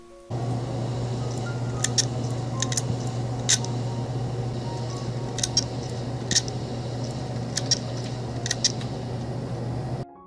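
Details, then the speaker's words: Broken hard drive connected to a computer via a SATA adapter makes sharp clicks, mostly in pairs about once a second, over a steady low hum; the read/write heads are out of control. "there is a clicking noise this means the drive read and right heads are out of control"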